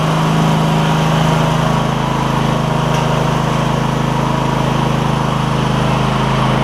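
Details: Cub Cadet GT1554 garden tractor, 2006 27 hp Kohler Courage V-twin, after new ignition coils and belts, blade not engaged: smooth, even run at steady speed with a low, regular beat and no misses; running normally.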